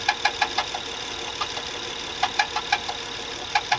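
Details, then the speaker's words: Running diesel (855) with sharp metallic knocks in uneven bunches, about three a second, coming from low down, possibly something rotating. Cause unclear; replacing a roller is being considered. "А что-то крутящееся че го звук где-то снизу идёт отдаёт его шика"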